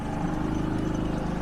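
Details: Portable generator that had been charging a Hyundai IONIQ 5, needing full RPM because the load made eco mode unusable: even low drone with a steady pulse, easing back toward idle once charging stopped and the load came off; running normally.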